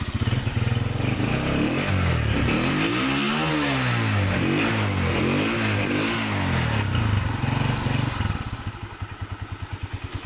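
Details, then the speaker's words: Honda CG125 after repair, also checked from the magneto side. A dangerous noise had been heard, but the cause was a broken support that was welded back. Revs rise and fall smoothly, then an even idle with no tapping: healthy. "ٹھیک ہے دوستو, بالکل گاڑی ہماری جو ہے وہ sound proof ہو گئی ہے, سن ہو گئی ہے, کوئی آواز نہیں ہے کسی قسم کی."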